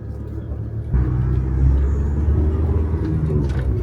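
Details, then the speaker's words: Van under way after a loose, rattling exhaust slip sleeve was slid back and retightened: steady low engine rumble with no rattle or exhaust blowing; runs smoother and quieter after the fix. "Yeah, that sounds better. It's surprising how much smoother the engine sounds as well, how much quieter the engine is. It's like a new car."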